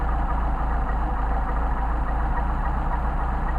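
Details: Mercedes 190SL carburetors (numbers 15287 and 15257) after rebuild, idle mixture screws set to the sweet spot on a warmed-up engine: steady, even idle with a smooth low pulse and no stumble or miss; carbs balanced and running clean.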